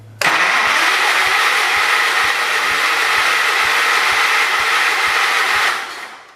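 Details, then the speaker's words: John Deere 212 donor tractor, old fuel: steady cranking about three and a half turns a second, never firing. No spark at the test plug; owner suspects the coil, then finds a loose spark wire. "No spark. Something smells warm. Something feels warm. Maybe the coil might be bad."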